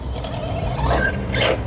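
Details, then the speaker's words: RC car Kagama whose center differential has leaked its fluid: a steady low drivetrain drone with rough grinding and brief high screeches riding on top; the center diff is chattering and needs servicing. "All right, y'all hear that diff again? See, that's the effects of a center diff when it's leaky."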